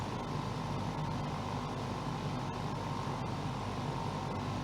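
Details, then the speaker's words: Portable AC unit after repair of its exhaust (evaporator-side) fan motor, which had overheated and quit after about 5 minutes: a steady, even whoosh of airflow over a low motor hum. No surging, rattles or stalling; the unit now runs normally. "it's working okay another project completed"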